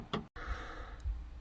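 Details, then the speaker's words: 2014 Dodge Grand Caravan rear climate controls stuck on warm: sharp plastic clicks about once a second over low fan hum; rear temperature blend door stuck, actuator suspected faulty, not confirmed. "this is the noise i am getting and this pretty much means that the blend door are stuck and most likely the blank door actuator is the problem"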